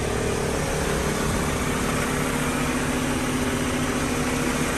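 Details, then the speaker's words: Honda Civic EK sedan after fuel pump replacement fixed crank-no-start: steady, even idle with no stumble or roughness. "not a rough or nothing bro no nothing"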